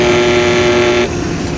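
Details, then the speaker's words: Pentair 3/4 hp pool booster pump: steady mid-pitched low hum for about a second, then abrupt cut-off with a click. Impeller spins only at about half speed, so the motor is failing and needs replacing. "it's running and sometimes when you hear that hum it's not running at all but this one you can see the propeller is spinning and it's just not spinning at full speed spinning at half speed so that tells us the motor's bad"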